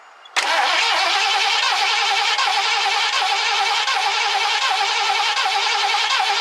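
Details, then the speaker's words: 1969 Ford Econoline van, last run date unknown: fuel line disconnected at the engine and fed from a gas can, cranked to see whether the pump delivers fuel. The starter whirs steadily with an even chug of compression for several seconds but never catches; cranks, no start. "I'm going to turn it over and see if it pumps any fuel out. Uh this is probably going to take a little bit, but we'll go ahead and see what happens."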